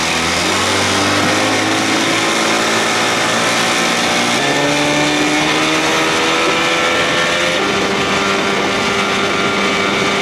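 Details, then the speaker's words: 1979 Evinrude 55 hp outboard with original carb reinstalled, after reed valve inspection and compression test: in neutral the two-stroke climbs in pitch without throttle, a runaway high idle; owner suspects a loose throttle cable not pulling fully down. "it's going to run wild now why could be the cables loose not pulling that thing all the way down"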